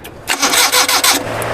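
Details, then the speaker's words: Suzuki Mehran after a service engine wash: a second of brisk starter cranking that never catches. Switch current is getting through, but moisture in the distributor breaker points weakens the spark; the points are to be opened and cleaned. "बस बस अभी देखें यहां पर इसमें current जो है वो कम ए रहा है नामी की वजह से"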